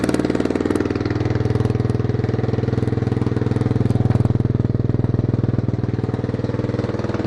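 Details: 1993 Yamaha XT 600 E (3TB) single-cylinder enduro that sat 6-12 years, after carburetor cleaning, choke on: loud open-pipe thumping at about four beats a second, even and steady with no misses; normal idle.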